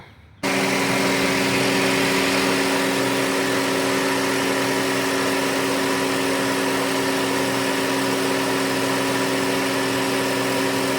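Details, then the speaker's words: 2008 Honda Civic with newly installed AC compressor, system oiled, vacuumed and recharged: engine starts and idles steadily with an even compressor hum, no knocking or squeal; compressor running normally. "There's the new compressor right there. All hooked up. Let me crank it up."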